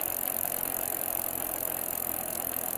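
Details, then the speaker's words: 1995 Barracuda Dos Equis XX mountain bike, rusty and corroded: spinning freewheel gives a continuous gritty, rattling grind like grinding coffee; worn freewheel needs replacing. "Uh, I'm going to have to get a new uh freewheel. This one, if you Yeah, listen to it. Sounds like it's grinding coffee."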